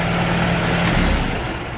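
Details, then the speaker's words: Restored 1949 Farmall Super A, started without choke and not yet at operating temperature: a low, even idle with a steady beat and no tapping or misfire; it sounds healthy and quieter than before. "yeah, she sounds really good."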